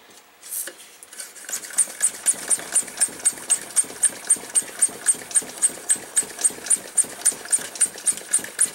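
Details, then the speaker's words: Coleman stove fuel tank pump, pressurized: quick airy puffs, about four a second, spitting back out of the pump hole when the thumb is off; faulty pump check valve leaking air back. "long as my thumb is over the hole it's fine but hear that that tells me that we have a faulty check valve because you should never get air pushing out of this little hole back against your thumb"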